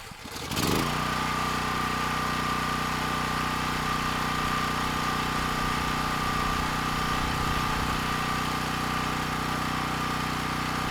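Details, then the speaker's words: Champion dual-fuel generator with a rebuilt 458cc engine, test-running on propane, which is expected to cost about 10% of its power: it catches quickly and settles into a steady, even drone with no misses. It runs smoother than on gasoline. "and no issues getting the engine started on propane and it actually sounds like it's running quite a bit smoother as well"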